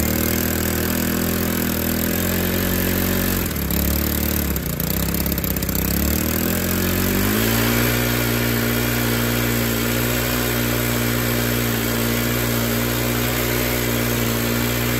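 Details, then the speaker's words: Stihl FS 110R 4-Mix trimmer on the bench, no clutch drum engaged, throttle fully closed; holds a high steady scream, dips briefly, then settles right back up; won't idle down, runs wild. "i'm going to crank it up and let it idle and this thing just screams with the throttle being all the way closed listen to the way it's idling"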